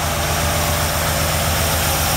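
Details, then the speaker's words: Chevy 383 stroker V8 in a Chevy truck, cold start and not yet warmed up, with a small cam, full-length headers and Hooker turbo dual exhaust: a smooth, even burble at about 850 rpm idle with no miss or tapping. Normal idle. "it's not quite warmed up yet but fill up on the Bastile use the idols down around 850 or so I was pretty smooth didn't have much of a cam"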